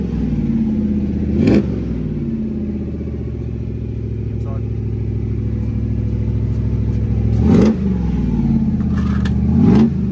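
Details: 1988 Holden VL SV88 V8 with Rochester Quadrajet carb, revved with mufflers being checked one by one: three clean blips over a deep steady burble with no tinny rattle. This muffler sounds healthy; the middle muffler was the tinny one.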